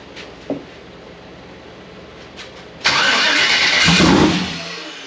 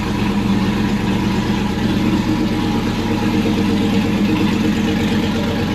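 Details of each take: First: Freshly rebuilt Gen 4 aluminum V8 swap (58x conversion), first fire attempt on low battery: harsh crank burst about a second and a half, fades without catching; no rpm signal on dash, 60 psi oil pressure; no-start. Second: Freshly built aluminum V8 just installed, first run after a conversion harness wiring fix: loud, steady rumble holding an even idle with a slight rev, no knocks or ticks; 60 psi oil pressure; normal running.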